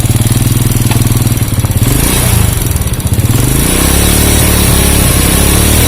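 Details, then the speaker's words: Honda Supra Fit motorcycle that dies when hot, is hard to kick and sounds rough and dry: uneven, lumpy idle that dies unless the throttle is held. Overheating, with oil not reaching the cylinder head; the exhaust header is extremely hot. "Nah, nggak ditahan mati dia. Nah, berat."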